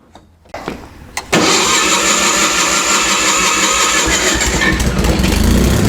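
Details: Miller Trailblazer 250 welder generator after valve job and carburetor refit. Engine cranks, catches and settles at a steady 3900 rpm (should be about 3600) and won't drop to idle when switched. Possible electrical cause, suspected only.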